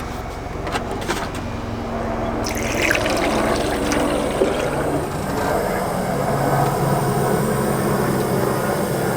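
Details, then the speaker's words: Mazda Miata with a Supermiata coolant reroute installed, bleeder screw open and cap off while filling: hissing, whistling air escapes with gurgling coolant as trapped air is bled from the cooling system. "you guys can hear that air whistling out of there it's working cap off helps"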